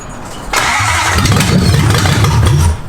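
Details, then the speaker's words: Toyota 1UZ V8 swapped into a Nissan 240SX S14: the starter churns and the engine sputters with a few uneven catches but never picks up; fuel is leaking at a fuel rail banjo fitting, starving it, and the bolt needs replacing. "it's going to run it's going to go but it's leaky flu it's leaky flu just replace that bolt that's it"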